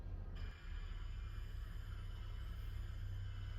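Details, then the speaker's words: Brinkley Z 3110 camper Bluetooth speaker: steady low hum with faint high whine from the speaker with nothing playing, still present after replacing the 12V dimmer switch and with ceiling lights on; Bluetooth controller replacement to be tried next. "all right so you can hear it hasn't fixed our first noise problem"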